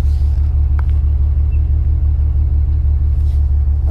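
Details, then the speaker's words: BMW E92 335i N54 with 17T hybrid turbos, no codes or dash warnings, fuel-vapour mist from pipes: deep idle with steady ~3 per second stumble, one cylinder seemingly not firing; owner suspects low compression, not confirmed. "gopro is picking that up hopefully it is what do you think it is something's it's not firing properly"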